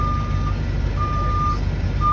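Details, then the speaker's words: 2009 Forest River Starcraft Allstar bus on Chevrolet C5500 chassis, 48,111 miles, backing up in reverse: steady high beeps roughly every half second to second over low diesel rumble; backup alarm works normally. "And you see as I'm backing up in reverse."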